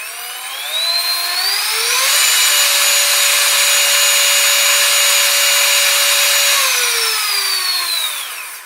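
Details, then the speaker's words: Kids' Power Wheels modified with 24V conversion, ESC and Traxxas 775 motor, test run: drive spins up to a high steady whine over a harsh gritty gearbox rasp, then winds down; owner suspects gearbox grinding from old grease, planning clean and regrease. "I think also a big part of the problem here is like you can hear that gearbox grinding in there"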